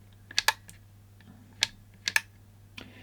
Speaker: know you can hear the really clicking there so if you press it once as the relay and that's really on that one